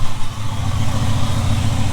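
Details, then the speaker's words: 1975 Ford F-350 ex-Seattle Fire Department truck, just revived after about 20 years sitting: after running at a higher idle and then dropping the idle down, it settles into a low, steady, even rumble with no misses or knocks. "so let her run at a higher idle for a little bit and drop that idle down and she's smoothing out"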